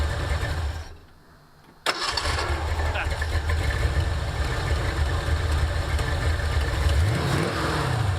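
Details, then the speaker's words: 1984 Ford Mustang GT350 Foxbody after a starter replacement, which fixed a loose starter connection; an oil leak remains. Brief crank, then it catches cleanly and settles into an even, steady idle with no stumbling; normal start. "do it one more time yeah sounds good sounds way way better yay that's done"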